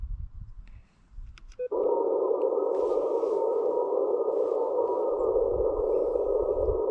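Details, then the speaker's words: Elecraft K1 on 40 meters, 7.060, 5 watts, SWR 1.1, compared against an LNR MTR4B that pops: steady even tone after keying, no pops, clicks or splatter; clean speaker output, pops possibly specific to the MTR4B. "there are no speaker pops coming out of the speaker this time so that may just be an artifact of the speaker that's plugged into the lnr mtr4b this is a totally clean speaker output here on the on the aircraft"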